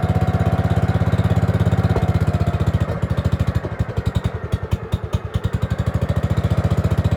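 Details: Gravely 5665 freshly fitted with a China carburetor (after a 15hp carb was tried), air cleaner on: a steady single-cylinder beat stumbles and goes ragged, then recovers, and it runs only on choke.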